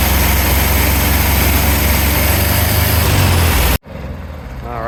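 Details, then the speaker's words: Mostly original matching 1964 VW Beetle 40 hp engine, first start after sitting about 30 years, old green fuel flushed: loud, uneven chuffing idle with a lumpy pulse, then cuts off; runs rough, likely needs rebuild. "Um, it runs not awesome. I think this engine's going to need a rebuild, unfortunately."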